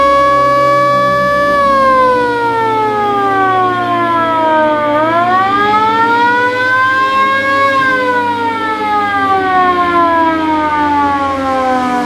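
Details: VW Kombi Bay Window ambulance with its original factory siren, rotator lamp also on, battery newly installed: a loud wail sweeps smoothly up and down in pitch, strong and steady; working siren.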